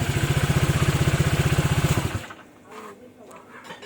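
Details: Honda PCX 150 scooter after valve adjustment, previously hard starting and stalling at idle: single cylinder thumps evenly at a steady idle with no stumble, then shuts off; normal healthy idle.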